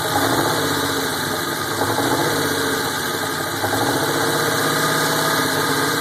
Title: 1987 Buick T-Type Rough Idle